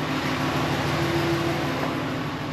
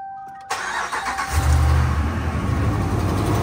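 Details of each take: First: 2017 Ram 1500 5.7 Hemi after the broken exhaust manifold bolt repair and an oil change: steady, even V8 idle with only a faint normal Hemi tick, the loud click gone, no codes. Normal idle. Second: 2017 Ram 1500 5.7 Hemi on a fresh cold start after sitting overnight: catches quickly, then a light, fast tick of about four a second over idle. Broken exhaust manifold bolt leak, loudest cold and fading when warm, before repair.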